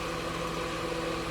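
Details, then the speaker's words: Whirlpool upright freezer after fix, a loose part that was rattling and making the compressor seem to vibrate now secured by tightening the sheet metal screws: smooth, even mid-pitched hum with no rattle or buzzing; much quieter, running normally. "100 quieter like i said that's sitting there just rattling around on this thing that's all it took"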